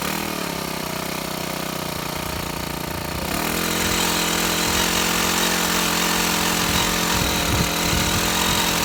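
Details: Shindaiwa HT2510-40 hedge trimmer, C4 low-emission four-stroke, test run after new clutch and tank-to-carburetor fuel line: revs unevenly with ragged stumbling buzz, won't hold speed, no power; rough running later traced to broken cam lobe.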